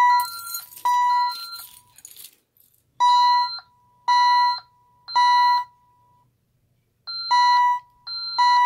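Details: ADT SafeWatch Pro 3000EN alarm panel test, fire zone 01 pull station triggered, ELK-110 siren driver: loud electronic tone near one kilohertz pulsing in sub-second bursts with short gaps; fire alarm siren sounding.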